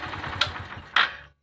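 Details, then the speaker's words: Petrol motorcycle after replacing a loose timing chain and worn roller: even low thumping idle with a couple of sharp handling clicks, then switched off; the earlier rattle is gone and it runs smooth. "आवाज बंद हो चुका है और हमने इसका test भी set किया है और एक गाड़ी अभी मक्खन जैसी हो गए"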